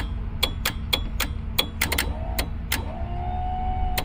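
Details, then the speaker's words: Grady White 208 Adventure trim tab system with the key on: repeated sharp clicks, then a steady pump whirring that starts only on about every other press. The pump motor runs fine; the intermittent fault points to the switch pad and control box, both to be replaced. "You can hear the pump. Oh, about every other one, it doesn't do anything right there. Nothing. Nothing. Then it's working."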